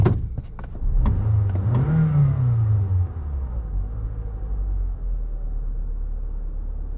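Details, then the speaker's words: 2014 Toyota Camry, 207k miles, warm, after cleaning carbon buildup from the throttle body butterfly valve that caused low rough idle and stalling: a few clicks, a brief rise, then a smooth steady idle just above 800 rpm with no vibration. "No more vibrations, and it sits right there just a tick above the third line, which is 800 RPM. Exactly where she's supposed to sit."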